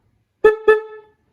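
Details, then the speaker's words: 1966 Bridgestone 175 motorcycle, first start after sitting 30+ years, key on with battery charger connected: two short, clear mid-pitched honks, strong steady tone; horn works properly. "because the key on is that my battery charger's been there these horns always work"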